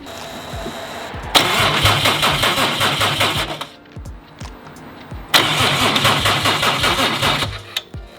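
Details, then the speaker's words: Subaru STI on its first start after the build, with a Haltech Elite 2500 ECU sending a constant 12V signal on the cylinder 5 ignition output: two bursts of steady cranking, never catches, no spark, fuel smell suspected. "uh we're not getting any spark we can we think we smell fuel"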